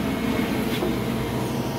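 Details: Kaeser 5HP three-phase rotary screw compressor on single-phase via Invertek E3 VFD, 60-gallon tank, running loaded: steady, even drone with no knocks or rattles, healthy normal loaded running.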